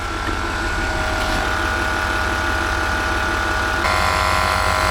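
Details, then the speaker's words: Land Rover Discovery 4 with the engine running, after repairing the failed air suspension compressor: a steady, even compressor hum and whine, much better than before. Normal running. "oh my God it definitely sounds better than before"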